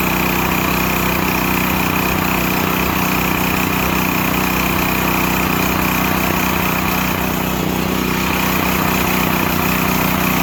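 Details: Used Stanley 8000 W all-weather generator, sat four years, running after a starting-fluid start, choke off; steady, even drone at constant speed with no misses, surging or knocks, normal running.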